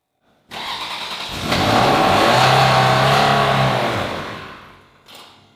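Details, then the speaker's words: Ferrari 360 Spider V8, first start after standing 2 years with ignition coil connectors refitted, fires and revs briefly then sags and stalls unaided within about three seconds without throttle held; it stalls again, cause unconfirmed, possibly typical after long storage. "Time to start the Ferrari for the first time in 2 years. It worked. Yeah! Yeah, but did you turn it off? No. Did it turn off by itself? Yes, but I also didn't keep giving it gas. Okay, once more it turned off by itself."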